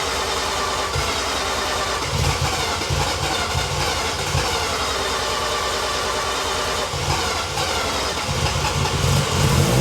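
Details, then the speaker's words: Freshly built 13B bridgeport rotary, first start with injectors and igniter reconnected: long rough cranking to seal rotors, then it catches and revs loudly and unevenly, rising and falling, with lots of smoke. "you might need to um crank it for a while it may take time to build the all right for to seal the rotors"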